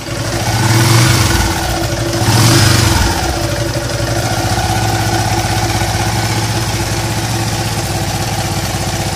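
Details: Yamaha LC135 motorcycle engine at idle after two quick throttle blips: rough, droning hum instead of a quiet tick-over, engine noisy and humming.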